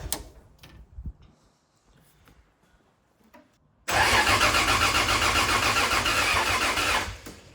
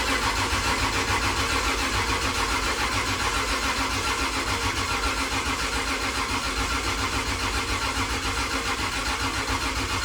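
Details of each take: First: 2JZ-engined KE70 Corolla drift car, with combustion visible from the dump pipe: a few quiet clicks, then the engine catches and runs strong and steady with even firing; normal start. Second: Freshly rebuilt 2JZ in a KE70 Corolla, first crank on the starter to build oil pressure: slow, labouring pulses about two a second on each compression stroke. High compression and a borrowed battery struggle to turn it over.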